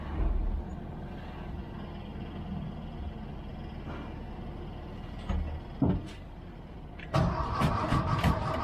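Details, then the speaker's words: 1979 VW Bus cranking in short starter bursts but never catching, fuel starvation; the low-pressure fuel pump (about 8 psi) takes long cranking to get fuel back to the carburetor. "that's a common thing though when you around a guest in a Volkswagen you crank it try to get it back to the carburetor and you quit just before it's almost there because it does take a lot"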